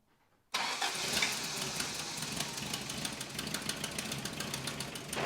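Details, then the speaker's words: 1993 Toyota pickup, abandoned project, after a head gasket job and moving the distributor one tooth: catches right away, rough idle with a sharp, rapid ticking puff on every firing pulse, no engine knock; stumble suspected from distributor timing. Exhaust leak. "No engine knock, but there is a fairly nasty exhaust leak."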